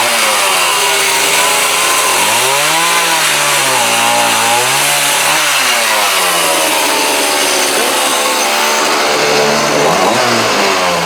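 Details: Homelite D3850B 18" chainsaw, with a new carburetor, fuel lines and filter, cutting wood in the cold with a dull used chain: revs dip repeatedly as the bar bites and recover cleanly. Normal engine under cutting load.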